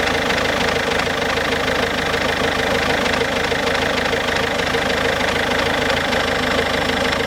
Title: Ford Focus C-Max 2007, 1.6 TDCI, 90HP, engine problems (bad sound)